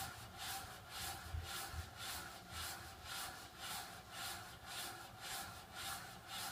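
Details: Water flow restrictor: rhythmic rasping surges about twice a second, like water rushing and rubbing through a restriction; a weird noise of unclear cause.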